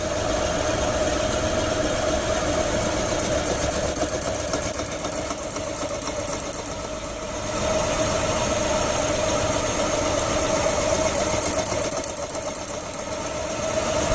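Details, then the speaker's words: Hyundai Santa Fe 3.5 V6 at idle: rhythmic knock three to four per second with faint hum from the right side, like an engine bearing; traced to an egg-shaped, wobbling AC compressor pulley assembly. "here's your knocking noise AC compressor watch that pulling on the right as the belt spins it get a little egg shape and it bounces all over the place"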